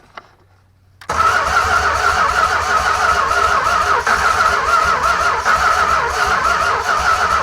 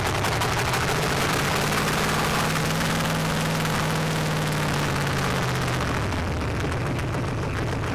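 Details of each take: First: 1965 383 V8 from a junkyard, first start after 30+ years sitting, new distributor fitted and carb bowls filled: after a short crank it fires and holds a ragged, uneven idle; plugs had been wet and black. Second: Junkyard 1965 383 V8 after 30+ years sitting, new distributor, wet black plugs cleaned: loud unmuffled thumping about four pulses a second, slightly ragged but running steadily; runs acceptably now.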